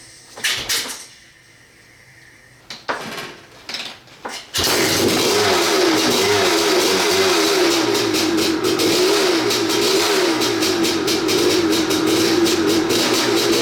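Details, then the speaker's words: 1986 Maico 500 two-stroke dirt bike, unstarted 2.5 years, fresh non-ethanol 92 fuel, no carb clean: a few kicks then catches into crisp even idle with steady rapid crackle; starts and runs fine. "So, but, yeah, started up without carb clean. 2.5 years of sitting."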